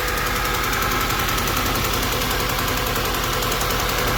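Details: 2009 Audi A4 B8 2.0 TFSI at idle: fast, even top-end ticking rides steadily over a smooth idle the whole time; cause not yet identified.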